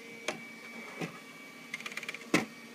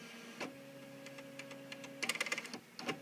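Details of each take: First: Bernina Artista 730 embroidery module in the service test program with a large hoop: quiet motor hum broken by clicks, then a stuttering burst and sharp clack as the hoop skips and reverses mid-travel; cause unknown, optical sensors inside the module possibly involved. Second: Bernina 200/730 embroidery module Y-axis sensor test: steady low motor hum as hoop moves, then quick light clicks from the hoop-size switch detecting a large hoop; sensor okay, working normally.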